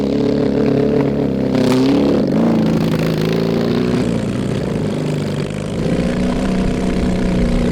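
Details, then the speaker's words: Mid-70s Honda CB750 SOHC engine swapped into a 1980s Suzuki Quad Sport 230, cold day, no real exhaust: revs unevenly under load, stumbling, then briefly clears out. Misfiring; carburettors, missing exhaust or worn points ignition suspected, unconfirmed. "uh it runs like garbage but uh i mean you were still able to jump in and do bootlegs yeah yeah it's uh pretty fun it's pretty loud we need to work on that"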